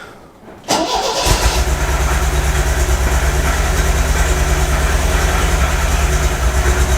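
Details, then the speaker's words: MGB 1800cc engine started after sitting a few years, no choke on: it catches, then idles with an uneven, lumpy beat about three times a second. Owner suspects a couple of cylinders aren't firing and plans to check the plug leads. "it's running on about two or three sounds like it's not running on a couple of the cylinders"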